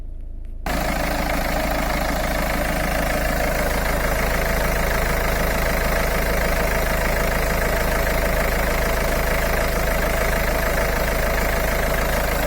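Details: Citroen C4 Grand Picasso 1.6 HDi turbo diesel, microphone held under the engine bay: steady, even diesel clatter with no knocks or misses; normal healthy idle.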